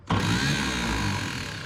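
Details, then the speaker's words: 1951 Chevrolet Advanced Design pickup, 6-volt starter on 12 volts: starter whirs up fast and free with no engine cranking rhythm, then smokes; the Bendix drive isn't catching the flywheel. "Like the French starter. It's like our Bendix ain't catching."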